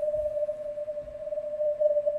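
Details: Ham radio receiver on CW: steady ringing tone near 600 Hz over quiet hiss. It sounds like filter ripple (or atmospheric noise on SSB) but is switching power supply interference.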